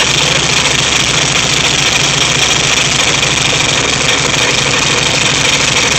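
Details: VW Type 3 1600 cc single-port engine, first start after rebuild: even, steady air-cooled idle with a constant rattly hum and no knocks, misses or surging; normal idle.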